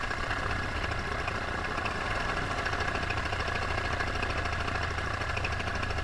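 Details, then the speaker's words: Paramotor two-stroke engine in flight at full throttle, before later losing power; steady high-revving drone holds even with no misses or dips. Normal full-throttle running. "I want you to actually listen to the RPMs of the motor and what it sounds like at Full Throttle so you can compare it to later on in the video"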